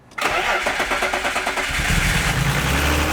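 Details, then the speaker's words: BMW E36 M3, unrun for 4 years. Quick cranking bursts, then the engine catches and settles into a steady, even idle; starts cleanly and runs. "Dude, it's running. No way. No way. Oh, it's alive! It's alive! It's alive!"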